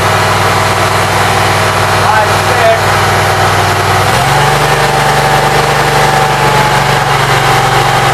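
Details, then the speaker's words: Briggs Vanguard with Briggs carburetor and new wiring, cold: steady even idle hum, pitch steps once as speed shifts, then smooth; battery 12.53 V rising to 13.3 to 14 V on regulator. "It's 12.53 now that it's running. It's not going down, but it's not going up."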